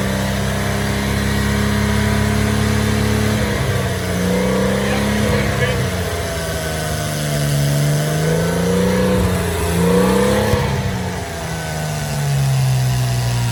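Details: Porsche Boxster 986 with eBay aftermarket exhaust, just after dB killer motorcycle inserts were screwed into the tailpipes; recorded from a short distance, repeated blips with a raspy, crisp note and no booming drone; drone reduced.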